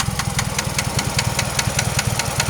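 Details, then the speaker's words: 2001 Pontiac Grand Am 2.4 LD9 twin cam at steady idle: sharp, regular internal knock about five per second, source unknown; persists after rod/crank bearing, balance shaft and timing chain rebuild; owner suspects wrist pin, unconfirmed. "I really want to know what that knock is. I want to know."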